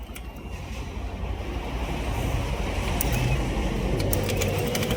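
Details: Honda Click 125 scooter at steady idle with quick, fairly regular tick about four a second; noise appeared suddenly and idle is lacking; mechanic suspects cam chain tensioner or timing chain needs replacing before opening the head.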